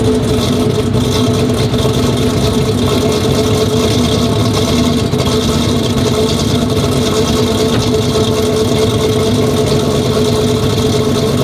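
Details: Dodge Charger Pursuit after reassembly from a bad-lifter repair with a new cam installed and idle tuning: a deep, steady, loud exhaust rumble with even firing and no ticking or knocking, a healthy normal idle.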